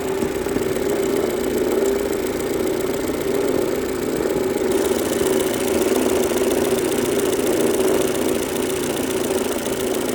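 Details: 2003 Mercedes-Benz A140 (W168) engine, 196,000 km, with a quick, uneven tapping of about four per second over the idle from the front of the engine. The owner suspects the timing chain or tensioner, but this is unconfirmed.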